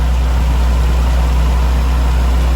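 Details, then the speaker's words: Nissan Stagea after timing belt adjustment and tensioner pulley tightening, warming up: steady even low hum with no chirp or rattle; earlier noise gone, normal idle. "Just letting it warm up. There's always some kind of hesitance and that, nervousness before starting the car up. But I'm happy that it started right up and it didn't make the AC."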